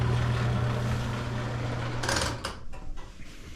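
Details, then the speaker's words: Bosch Nexxt washer WFMC4300UC/01 showing error E04, not draining with no hose kink: rough gravelly grinding churning steadily then dropping to a quieter rattle, sounds like gravel inside; failing drain pump, assembly 00436440, replaced. "fortunately my pump sounds awful as you guys heard it sounds really rough so I'm guessing it's probably pump"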